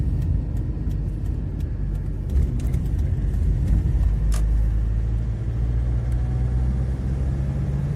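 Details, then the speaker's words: Honda FR-V turbo, test drive after refitting the torn intake hose from air filter to turbo (fault: lost pull and odd noise on throttle): smooth low engine and road rumble, no whistle or hiss, pulls well from 2000 rpm, foreign noise gone; normal driving. "Газ в пол. От 2000 машина поехала и набирает прекрасно. Динамика хорошая. Звук посторонний пропал."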